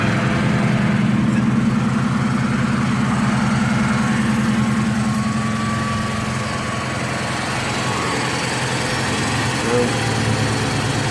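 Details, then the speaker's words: Car in Daytona just after an oil change (5.5 quarts Maxx full synthetic, new filter) and intake manifold gaskets: steady, even idle with smooth low drone, no valve chatter; oil pressure good. "I don't hear any valve chatter. I don't know what you can hear on the camera, but there's no valve chatter."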